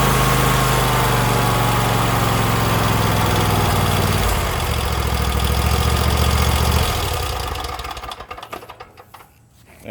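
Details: Husqvarna YTH24K48 lawn tractor after replacing a small holed fuel hose that caused no-start: engine runs evenly, steps down in speed, then shuts off cleanly; healthy running.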